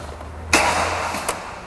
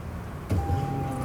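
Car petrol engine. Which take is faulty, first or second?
first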